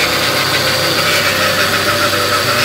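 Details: Kia Cerato automatic at idle with belts off: steady high whirring hum from the automatic gearbox, not the alternator; gears engage late.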